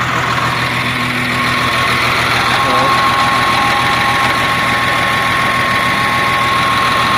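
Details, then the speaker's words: CAT 950H wheel loader diesel, error code 36 for number one injector: idle with an uneven, lumpy beat, about three and a half pulses a second. One injector not functioning, so misfire and low power. "so that's the main reason if the operator is not concerned about the engine power or power of the machine they ignore about that so there will come less power of the machine because one injector is not functioning"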